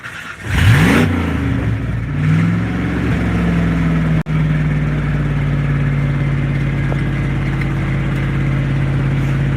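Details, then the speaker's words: Old beater truck with exhaust rotted off, completely straight-piped, fuel pump heard priming first: starter whirs briefly, engine catches with a rev, then settles into a loud, steady low idle; starts and runs fine. "There we go. No tachometer or anything to look at, so. But it runs good. No, it just sounds like that because it's like completely straight piped."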